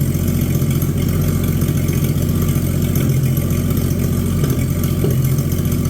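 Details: Abandoned Chevy 216 inline-6 for a 1950 Chevy 1-ton truck project: uneven, lumpy loping idle over a low rumble. It uses oil, smokes and runs rough, with a mysterious knock (possibly a loose clutch part rattling) and a failing water pump.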